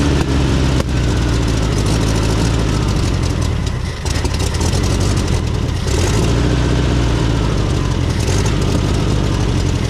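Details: 1970s VW Beetle air-cooled flat-four, barn find running again after over 20 years: loud, uneven, lumpy hunting idle that never settles cleanly; worn carburetor needing a rebuild.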